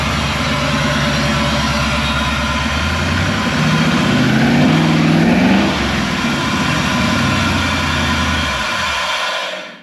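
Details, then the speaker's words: 1957 Chevy wagon V8 before its stage 2 cam swap. Cold rev right after start: lumpy idle rises into a quick rev, settles, then shuts off; normal. "All right, guys. We can hear what it sounds like now. Obviously, that was like a cold rev right off the start."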